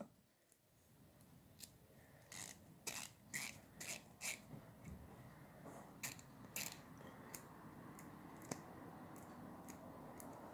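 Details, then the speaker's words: Snap-on FHX80A ratchet just rebuilt on the bench, screws Loctited: short bursts of crisp, even clicks as the handle swings back and forth, pawl engaging cleanly; normal ratchet clicking. "very nice it seems to be working just fine let's work that around a little til everything starts sounding and working right now that's clicking here a little better and we're hearing some engagement there"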